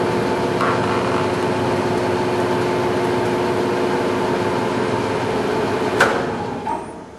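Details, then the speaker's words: TM 508 common-rail test bench pump turns during its fluid warm-up cycle toward 45 °C. A steady, even motor drone with a faint constant tone and no knocks or grinding; the bench is running normally. "Ela iniciou o giro, ela está em procedimento de aquecimento."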